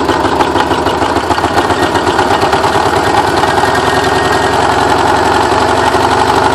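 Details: Porsche 944 first start after ten years sitting; timing belt tensioner pulley fell off in March 2005, bending all exhaust valves: loud, uneven sputtering idle with coughs and misfires, sounds terrible.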